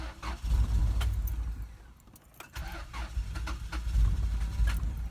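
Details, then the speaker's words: Car with a newly installed fuel pump kill switch (pump wire cut): the engine cranks in two low, uneven bursts but never catches. No fuel reaches the engine, so it will not start. "this is what its gonna sound like with a fill pump kill switch car dies you can do this as much as you want car's not gonna start"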